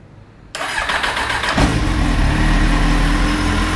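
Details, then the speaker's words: Kawasaki Z750 after fixing exhaust header rings and welding the header inlets, which had caused a rod-knock-like noise; starter whirs, engine catches and settles into a smooth even idle with no knocking; normal start and idle. "beleza mora já não faz aquela barulheira e batendo dá aquela impressão de estar tá batendo pe ela sei lá o que"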